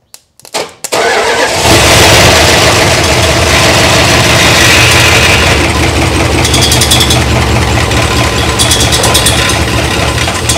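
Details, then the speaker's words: 1962 big-block Chrysler started for the first time in years, smoking, little lifter noise heard while building oil pressure: cranks, catches and runs loud, uneven, unsteady, never settling; rough running, cause unconfirmed. "not happy darn it but dude we got smoke is it smoking like Choo chin holy schnikes"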